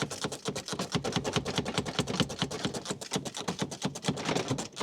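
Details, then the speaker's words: 2002 BMW E46, broken central lock switch held together and pressed repeatedly: rapid uneven sharp clicks, several per second, as the door latch responds intermittently, finally getting the door open from the faulty switch. "So, what I did, I was spamming this while holding it together and unlocking the door because you could still hear the door latch"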